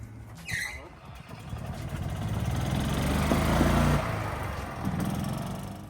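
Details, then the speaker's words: Gas Club Car Precedent golf cart with FE350 engine, driving at about 25 mph: revs swell and ease smoothly under load, no misses or knocks; motor runs great and picks right up. "the motor runs great dude picks right up good"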